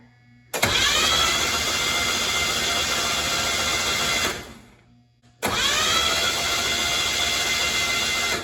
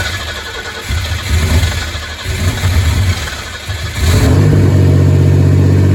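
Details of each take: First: Z24 turbo 3400 engine cranking on starter with spark plugs out, injectors unplugged and fuel pump fuse pulled before first start: smooth even starter whir, no labouring; engine spins freely, sounds healthy. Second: Z24 turbo 3400 engine, plugs gapped 0.035, very first start after a year of work: cranks, catches about four seconds in, holds steady idle noticeably high; owner unsure, possibly a vacuum leak.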